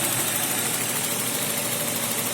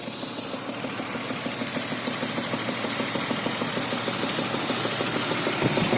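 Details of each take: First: BMW M52 2.0 petrol engine idling smoothly and evenly after spark plug replacement; the earlier knock is gone, with no extraneous noises. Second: BMW M52 2.0 petrol engine at idle: steady light knock about three times a second, caused by worn spark plugs; knock disappeared after the plugs were replaced.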